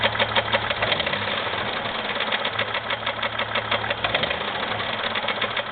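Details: 2001 Jeep Grand Cherokee 4.0, oil changed regularly, noise began suddenly without warning; sharp steady knock about three per second over the idle hum from the bottom end, owner unsure whether piston slap or rod knock, oil pan not yet pulled.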